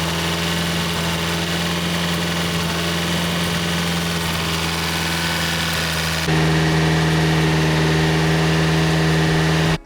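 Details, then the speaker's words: Abarth 500 petrol engine after a new head install, idling smoothly and evenly after a forgotten connector was plugged in, then stepping up to a steadier, louder hum, ahead of 20 minutes at 2000–3000 rpm to break in new lifters. "so now I plugged it in it's idling perfectly fine everything's all good"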